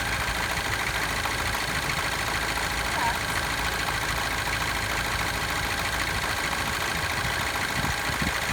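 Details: Citroen DS3 DSport 1.6 THP petrol at idle: busy metallic clatter, timing chain rattle; tensioner has failed again within 8000 miles.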